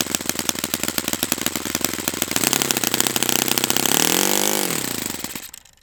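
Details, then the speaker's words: Saito FA-100T twin-cylinder model engine on its first break-in run, rich setting, about half a tank: rapid even high-pitched buzz swelling smoothly with revs, then winding down cleanly; running perfectly. "I'm going to stop the run there just because it's running perfectly."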